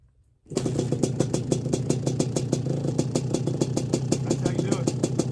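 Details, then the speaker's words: 1981 Suzuki RM125X two-stroke after a complete rebuild, 2mm overbore, on its first ride, mixed rich for break-in and smoking from old oil in the exhaust: it catches and settles into an even, crisp popping beat of about five to six a second; healthy. "i'll start it up uh she's a smoker right now because i think the exhaust has got a lot of old oil in it but i do have it rich mixed rich during the break-in so don't mind that when she warms up she really rips"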